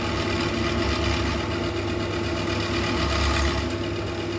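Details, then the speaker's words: Boring bar chattering inside a wood workpiece on a lathe during very light boring passes: steady rough buzzing over a constant hum, causing a terrible finish: boring bar chatter. "I started boring with some very light passes but I quickly ran into some vibrations you actually can hear it in this next shot"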